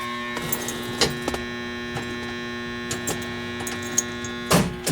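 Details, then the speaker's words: 1967 VW engine, battery ground miswired, starter reinstalled and run on full charger: steady electrical hum with a few light clicks and no cranking; starter energised but won't turn the engine. "ah something's not happy in that starter"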